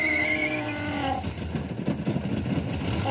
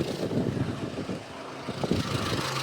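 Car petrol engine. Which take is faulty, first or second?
first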